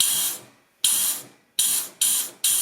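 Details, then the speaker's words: Diesel fuel return line from the rail, T fitting undone, blown through with a compressed-air gun: sharp air-hiss bursts passing straight to the tank, where earlier it seemed blocked. Fuel return line clear. "Et tout à l'heure quand j'ai soufflé il se passait rien et là maintenant on entend, t'entends?"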